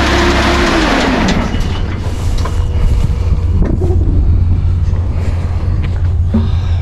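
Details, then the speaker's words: Cummins QSB 4.5L diesel idling on arrival with a heavy, rough clatter and a deep irregular knock, sounding like it may throw a rod; engine bearing knock in the bottom end. "sound sounds like it's about to throw a rod from what i hear which ain't good"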